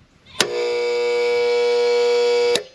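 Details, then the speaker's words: Air compressor with plenty of oil switched on briefly: loud steady buzzing hum for about two seconds with no spin-up, motor won't turn. "did you hear that it ain't turning we're gonna have to see what's wrong with it"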